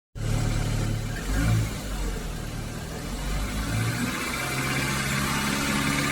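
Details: Volkswagen Golf R on a cold start settles into a steady idle with a faint quick ticking on top; source of the cold-start tick undiagnosed.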